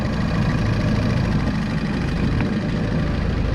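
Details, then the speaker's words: 2011 Mini Countryman S (R60) after replacing the failed PCV crankcase vent diaphragm that caused rough idle, stalling and whistling: smooth, even idle with a steady low hum and no whistle or hunting; normal idle after repair. "sounds better but we're gonna let it uh idle outside for a bit"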